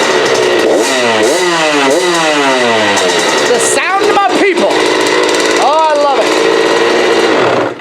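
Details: 65 two-stroke after carb clean and tune (dirty carb, main jet had fallen into the bowl, sat all winter), new spark plug, choke off: crisp revs snap up and fall back cleanly without bogging; running healthy.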